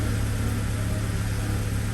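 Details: 2009 Acura TSX after replacing the cylinder 2 ignition coil that caused P0302 misfires: steady, even low idle drone with no skips or stumbles, running smoothly on all cylinders; misfire fixed.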